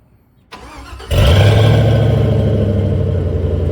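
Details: Squarebody truck with stock 5.3 V8 swap, stock manifolds, 2.5" pipe, Flowmaster Super 10 mufflers, turn-downs before axle: starter cranks briefly, V8 catches and settles into deep steady burble at fast cold idle; normal cold start.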